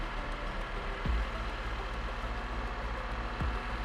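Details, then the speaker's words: Honda K24 four-cylinder after timing chain and intake actuator install: even smooth idle, no chatter on restart, no leaks. Normal idle. "all right we'll kill it one more time make sure the chatter is not there i didn't hear it the first time but i want y'all to hit it no chatter"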